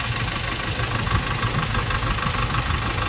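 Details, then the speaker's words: Nissan NV350 diesel van with strong engine vibration and no check engine light: uneven idle with a lumpy low thump about three times a second, shaking the engine; compression leaking past a torn injector washer causes the rough idle. "mga ganitong pangangatal or palya mga Bossing unahin naung injector ang Ich check ng injector natin dito sa manual Trouble shooting"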